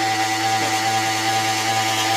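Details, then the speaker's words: Mini milling machine spindle while cutting away runout: steady motor hum with a rough, hissing whir from a cold bearing whose grease isn't well distributed yet; it should settle as the bearing warms up. "Matter of fact, if you ever hear that sound, that's a bearing that where the grease isn't uh well distributed. And u you might have to wait till the bearing warms up a little bit."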